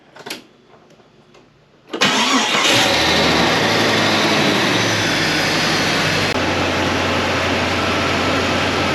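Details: 2000 Jeep Cherokee XJ 4.0L after engine reinstall and cracked flywheel replaced (knock was flywheel, not bottom end): brief crank, clean catch, smooth even idle with no knock or tick; healthy after repair.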